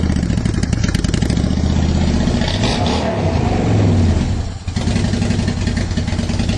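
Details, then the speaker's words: 2010 Honda Shadow Phantom V-twin after its fuel tank was cleaned out and reassembled to fix fuel issues: it settles into a steady, even idle and revs cleanly with no stumbling. Fuelling now sounds normal. "there we go now we got kind of a steady idle going so i think that sounds a lot better it revved a lot better"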